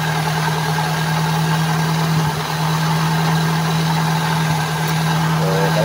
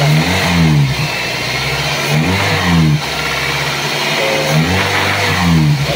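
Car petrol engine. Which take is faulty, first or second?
first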